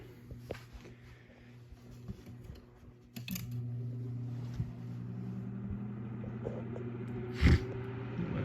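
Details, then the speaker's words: Antique Emerson desk fan (model 2650-B or 2260-H), bearings freshly oiled, long unused, on low: sluggish start, slowly picking up speed, low steady even hum, no rattle or scrape, a few handling clicks; quiet, normal. "but you can hear it's slowly picking up speed but even but on that low speed it's nice and quiet and I can feel a definite Breeze from"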